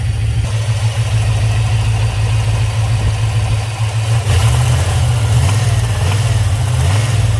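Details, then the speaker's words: 1995 Chevrolet Camaro Z28, 5.7 V8, six-speed, low oil pressure: deep steady idle, then a rev with a loose rapping as revs peak and fall, getting noisier; excess play in a connecting rod bearing, rod knock, overhaul needed. "hear that rap like at the very end of when it revs up [Music] that's that's too much play in one of the rods It's banging around"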